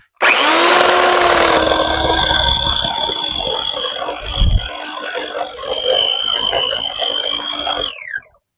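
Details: Electric corded chainsaw with sharpened chain, cutting a log: steady high motor whine while the chain bites evenly through wood, then spins down; normal clean cutting.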